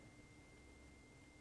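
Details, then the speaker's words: Hyundai i40 front parking sensors tested by ear: this outer sensor gives a steady, clean high-pitched tone, live and working, while two corroded centre sensors are dead, matching the fault codes. "So I'd say, yeah, definitely codes are correct. That one and that one are not working."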